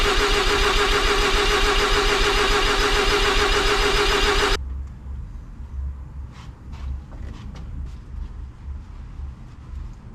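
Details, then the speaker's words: Mazda RX-7 sitting 20 years, both EGI fuses pulled to cut fuel, cranked to build oil pressure before first start; steady starter churn about three to four beats a second, never catches; cranking with fuel disabled. "So what I need to do is I removed it's all 2 like EGI fuses, and this is apparently supposed to make it so the engine gets no fuel, apparently. So I'm gonna probably do that, probably crank it for 30 seconds to a minute."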